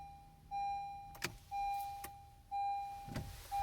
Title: 2016 CRV won't start